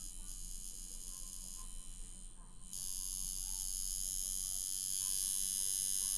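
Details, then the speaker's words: Coil tattoo machine with the power supply turned all the way down to near zero: a steady, even, high-pitched electric buzz that keeps running at this minimal setting, showing a well-tuned, healthy machine. "I'm all the way down that's how you know a good running machine I'm all the way down to zero like one BT still running that's a good machine"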